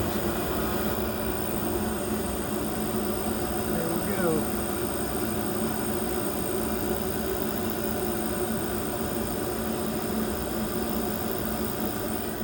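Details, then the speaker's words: New Trane gas furnace on a service call, refired after correcting an installer mistake: even steady roar with constant hum across all 3 burners, no popping, rumbling or whistling; normal burner operation. "And it should fire up across all 3 burners now. Well, that sounds normal."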